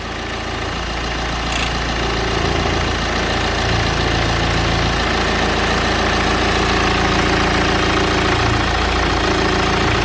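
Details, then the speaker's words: BMW N47 diesel at idle: steady clatter with loose buzzy rattle on top, smoother when pressing the engine cover; engine cover rattle, owner suspects worn cover mounts. "okay then so as you can see the engine appears to be vibrating quite a lot and there is kind of like a rattle sound but take a look at this can you hear the difference in sound"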